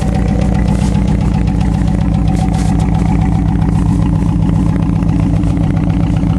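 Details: Chevrolet Cavalier idling after a junkyard starter swap: loud, steady idle with a fast, even tick about two or three per second from the front of the engine; owner suspects worn hydraulic lifters and plans to replace them.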